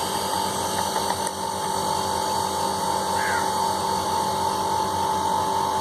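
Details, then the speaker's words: Single-phase cold-room (banana chamber) AC compressor after repair, relay fault fixed and running capacitor replaced, restarted after 3-minute timer: steady mid-pitched hum, no clatter or stalling; normal running. "Compressor चालू हो चुका है। ये self road का एसी है, single phase, cold store का लगा हुआ है, तो रिपेयर हो चुका है कंप्लीट।"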